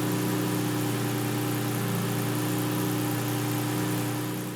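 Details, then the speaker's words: Toyota 2GR V6 swapped into an MR2 Spider with a custom exhaust and Haltech R5 ECU, idle after the throttle pedal was read: steady, even idle with no misses or knocks. "I think that's what we're hearing. That kind of sounds like a rotational idle. It's got kind of that wankle, give no f about fuel economy kind of thing."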